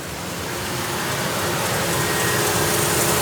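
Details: 1999 Ford F-250 XL with a 4.6L V8, mileage unknown, running on fuel poured into the intake because a bad fuel pump is suspected. It gives an even, steady note with no knocking or ticking, and the engine sounds good.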